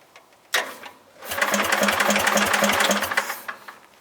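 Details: Bolens GroundsKeeper lawn tractor, cold start after sitting (fuel possibly leaked out): small single catches after a false start, then runs with a ragged, uneven chuffing beat before fading; rough running, owner suspects the carburettor.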